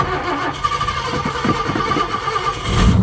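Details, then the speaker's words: 1967 Ford Galaxie 500 with an audible vacuum leak: on restart the starter churns unevenly for over two seconds before the engine catches roughly with a little gas. A hard start that needs throttle. "No, it wants me to give it It wants me to give it gas. There. You give it a little bit of gas. She fires right up."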